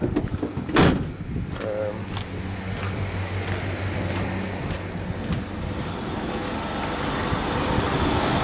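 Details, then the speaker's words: Outdoor AC compressor in rain that had been seizing, presumably from oil migration while low on refrigerant after liquid-line leak; Supco 88 and oil mix sucked in under vacuum, restarted after a few klixon trips, suction throttled: low steady hum, no stalling, running normally. "I pulled a vacuum on the compressor and sucked it in and uh it's running took a few sort of Cycles on the clixon to get it to stay running and then we just throttled the suction so it's not working too hard"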